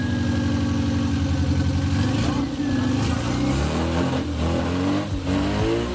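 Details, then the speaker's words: Classic Mini after restoration, choke on: engine catches and revs up and down smoothly, even firing, not lumpy, nice low-rpm running; normal running, described as a good engine. "Where is the I wouldn't leave it, it's not lumpy, it's really nice. Have a low RPM like that, that's a good engine."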